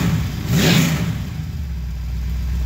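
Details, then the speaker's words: 355 small-block V8 (4-bolt main, forged crank, TRW forged pistons, COMP 268H cam, about 350 hp) on a run stand, 40 psi oil pressure at about 1000 rpm: sharp, clean throttle blip returning to a steady, even lope; healthy. "he's holding good at 40 pounds of oil pressure at about a thousand rpm this is a real nice engine we got here let's give her a little raw"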